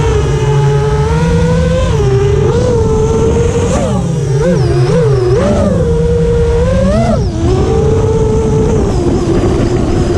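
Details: FR7 FPV quad in flight after tuning with D-min removed, Iterm relax cutoff 10, RPM filter on: clean motor whine climbing and dipping smoothly with throttle, no rasp or grit that D-min had caused; motors healthy.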